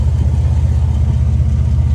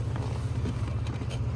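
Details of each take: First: Chevy Blazer at idle after a new cat-back exhaust with an off-brand Flowmaster Super 10-style muffler, with an aftermarket cat: deep, even rumble with steady low pulses, better than stock, and the earlier exhaust leak is gone. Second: Chevy Blazer: deep, uneven idle rumble with faint breathy puffs, an exhaust leak at a blown flange gasket.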